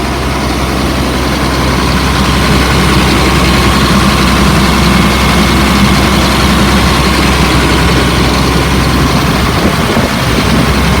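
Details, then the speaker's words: 2004 Blue Bird All American 72-passenger school bus with automatic, running about an hour, not overheating: steady fairly quick idle with constant low rumble, no dips; stuck on high idle until brake touched. "The motor sounds like it's on a fast idle. It's been like that for almost an hour."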